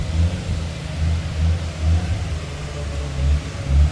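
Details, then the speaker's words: 1998 Nissan Skyline R34 RB25DE NEO converted to turbo with OP6 turbo, Nistune ECU, 3-inch Nismo exhaust, first run after swap idling at 1,200 rpm: deep exhaust rumble swelling and falling with clean throttle blips, no rattles; normal revving. "Oh, it sounds good too. It's awesome. That sounds gangster."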